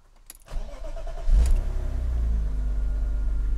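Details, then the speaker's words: 1995 BMW E36 M3 coupe, 3.0 engine, warm start after being driven: brief crank, catches quickly, settles into a steady, even low idle with no knock or miss; owner hears an unexplained funky noise at idle from the back; normal warm start and idle. "let's start it up so you can listen to it it's not a cold start as I went to work in this car"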